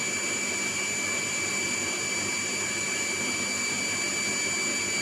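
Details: Shimizu 230 booster pump, about two years old, fed from tank about 1 m above, with weakening pressure: steady motor hum with thin constant high whine; cause unconfirmed, inlet or outlet scale suspected. Pump whine.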